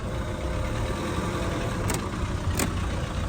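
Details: Honda PCX scooter idling after repair of a no-start (starter turned but engine wouldn't run; faulty fuel pump): steady, even idle hum with no ticks, knocks or whine, running clean and healthy.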